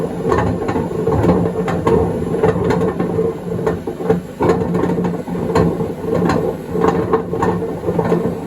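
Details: 2012 Beko WMD261 washing machine on spin-and-drain function test: loud rumbling roar at high spin with steady grinding and rhythmic thumps, called a racket, possibly undissolved detergent tabs.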